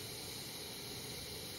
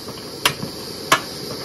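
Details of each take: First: Primus 535 twin-burner kerosene stove after fitting a roll of brass mesh as a surge restrictor in the burner feed: steady, even hissing roar with no pulsing; surging from vapor detonation is cured, normal burner roar. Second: Primus 535 twin-burner kerosene stove, right burner finishing preheat: sharp pops about every 0.7 s over a quiet hiss as liquid kerosene flashes to vapour, surges back to the tank and cools the burner, turning the flame yellow; fix is brass-mesh surge restrictor.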